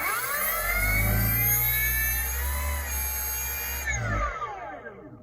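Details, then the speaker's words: E-bike hub motor after swapping controller hall and phase wires to the correct combination, drawing 1.6 A: a clean, steady, quiet whir that starts smoothly without hesitation and winds down evenly; motor and controller are matched. "If you notice the startup of the motor, nice and smooth, no hesitation."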